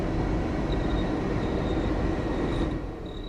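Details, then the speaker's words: 1995 Ford Transit Mk5 camper van heater blower: steady fan rumble with thin intermittent high squeak from dry motor bearings/bushes, risking seizure and burnout. "squeaky fan well it counts means the bushes are dry and it's going to seize up I mean the bearing the motor bres seize up and burn everything out"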